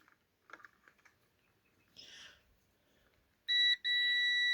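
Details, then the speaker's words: Parkside PTBM400 A1 drill press that trips the house power when switched on, tester on continuity across the power switch: steady high continuous beep with one brief break, a dead short; the switch is faulty, not the motor. "Вот, на выключателе у меня показывают короткое. То есть проблема не в моторе. Не в моторе, проблема в этом выключателе."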